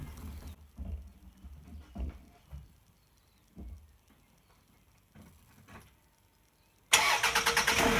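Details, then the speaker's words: Toyota RAV4 2AZ-FE first start after cleaning a blocked oil pickup to fix a low oil pressure fault, with about four litres of oil added: quick catch into a steady, even idle with no knocking; normal start and idle. "cool so when you style it up you just want to make sure that the oil light goes out and just let it run a little bit"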